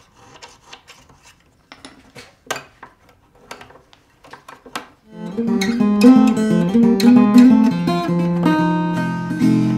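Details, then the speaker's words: 1935 Regal-made May Bell guitar after spot leveling and re-crowning its worn, flat frets: plucked notes and strummed chords ring clear and sustain evenly with no fret buzz. "great I don't hear the buzzing anymore she's playing clean old May Bell"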